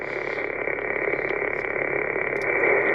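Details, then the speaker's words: Toyota Tacoma truck radio with whip antenna: steady hiss with faint rapid ticking tracking the engine; noise blanker blocks it, but ignition noise enters through the radio ground, not the antenna. "the noise blinker does block out the ignition ignition noise but get this the ignition noise is not coming from the antenna it's coming from the ground"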